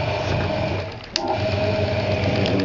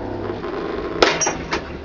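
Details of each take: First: Hoover 200M washing machine dry-run test, live and plugged in: small timer motor advancing the timer mechanism, steady light whirring hum with faint even buzz and one brief click; timer working as it should, normal operation. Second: Hoover 200M washing machine, given away and left outdoors for weeks, dry-run test powered live: quiet running, then a sharp clunk and weaker second clunk, sounds like the drum clutch solenoid pulling in harshly; doesn't sound happy, cause unconfirmed.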